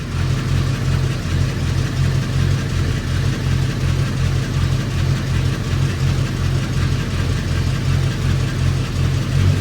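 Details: Old engine restarted after a suspected timing problem turned out to be a fuel issue: a deep, even low-pitched idle holding steady with no misses or stumbles. It runs smoothly again.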